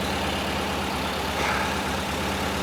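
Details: 1968 VW Type 3 with freshly installed 1835cc air-cooled engine, warming up after first start, smoke burning off: even, steady idle with a smooth low beat and no knocks or misses; normal idle.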